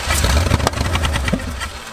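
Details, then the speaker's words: 1970 Plymouth Satellite, first start in 35 years, stuck piston rings, no carburetor: deep quick even cranking with a few firing pops, spinning freely with no effort. "there you go it's like no effort"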